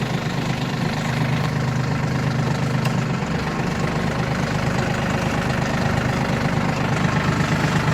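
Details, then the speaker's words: Yanmar RS30 30 hp Japanese diesel mini tractor in 2nd gear with reverser, hydraulic steering: steady, even diesel chug with a low drone, no knocks or grinding; runs without any noises, healthy. "Без каких-либо шумов трактор работает. То есть этот тракторок еще отработает очень и очень много времени и будет вашим помощником."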